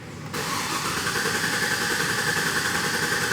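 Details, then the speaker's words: 2007 GMC Yukon 5.3 L after valve spring replacement for misfire, clear-flood-mode start: even cranking rhythm that catches straight away and settles into a smooth idle with no misfires; repair confirmed, normal start. "beautiful nice cranking Rhythm uh repair confirmed let's go ahead and run this thing beautiful Idol and no misfires"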